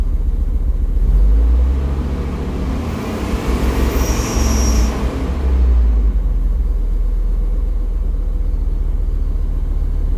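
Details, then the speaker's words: V10 dually truck after throttle body cleaning and air filter change, settling after restart: deep even rumble with no stumble, swelling smoothly through a couple of revs and back to steady idle; normal running. "Okay, it's starting to smooth out a little bit more there. Oh yeah, that sounded a lot better. Lots better."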